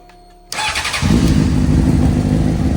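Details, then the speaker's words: Honda CBR600RR, battery charged at 13.36 V, oil in, fuel pump primed: starter spins the engine with a steady churning note but it never fires; cranks, no start, stator recently replaced with a cheap aftermarket unit. "We got a whole lot of nothing."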